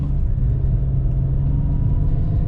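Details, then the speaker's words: 2004 BMW 325xi inline six, replacement engine of about 100,000 miles, after misfire repair: deep, smooth, even drone pulling steadily under throttle with no stumble; normal acceleration. "check engine light would have been on already accelerates nice and smooth sounds good"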